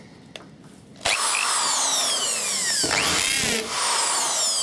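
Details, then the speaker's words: Bosch corded hammer drill after rebuild of motor brushes and bearings: motor spins up to a clean high whine with steady rapid rattling chatter; hammer function selected and working normally. "and the hammer function works yeah that select"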